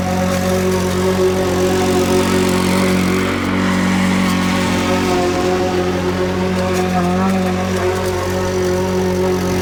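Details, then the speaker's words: Curbside Craftsman push mower after full carburetor cleaning (carburetor gasket partly broken): loud, even engine drone holding steady speed under load with no misses or surging; sounds much better, running healthy. "That sounds much better."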